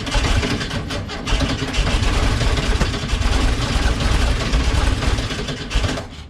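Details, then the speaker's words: Cold-blooded carbureted VW Bus, parked unused in the cold shop, jump-started with an almost 3-year-old NOCO GB40: it cranks sluggishly and weaker than it should, then catches and runs rough and loud as it warms. "Fired it up. It was cranking a little weak. I'll admit that's not cranking over quite as strong as you'd want it to, but it got the job done."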